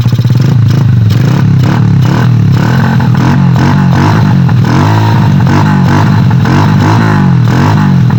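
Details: Honda Bravo 100 after removing the noisy starter gear: repeated rev blips with steady, even firing and no clatter or gear whine; sounds healthy.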